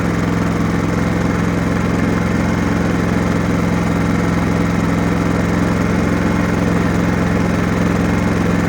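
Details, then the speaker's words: Genmax GM7500 iAED dual-fuel inverter generator with about 9 hours of use, no load, set to 120/240 V at 60 Hz: a steady, even low hum with no misses or knocks, idling cleanly at economy speed; a slight handle rattle is mentioned. "So you can hear how smooth she's running."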